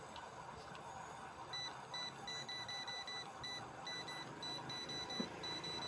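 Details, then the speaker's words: AC/DC fan controller board on 12 V input (also beeps on 220 V), remote sensor already replaced: repeated short high beeps over quiet hiss with no motor hum; board beeps but the fan does not start. "ठीक है दोस्तों, beep इसमें आ रही है।"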